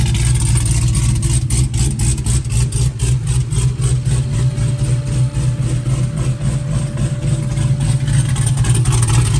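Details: Fresh V8 build with intake and wiring just installed, first fire-up: deep lumpy idle staying steady with even firing, no knocks or misses; normal idle.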